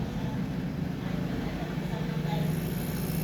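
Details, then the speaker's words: Midea 3iL microwave not heating; the board relay gave no 120 V and needs replacing. On power-up it makes a loud steady freezer-like hum, which the repairer attributes to the capacitor/magnetron. "Viu que ele ficou com aquele barulho de freezer funcionando? Esse problema aqui, pessoal, é o capacitor, é o magnetron."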